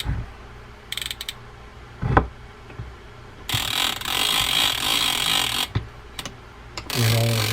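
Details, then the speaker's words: Vintage Penn International big-game fishing reel being reassembled after service: short ratcheting clicks from the clicker mechanism, then a buzzy run of fine gear teeth as the lever brings it into gear. Clicker and gears normal and smooth. "Sounds like we have our clicker mechanism in. Good. There. Let's bring it into gear here."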